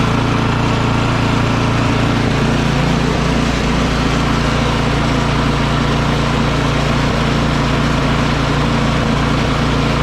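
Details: Craftsman 24-inch electric-start snow blower restarted without choke after clearing a carburetor clogged by gas left in it: steady, even small-engine putter, constant low drone, no misses or surging; running cleanly.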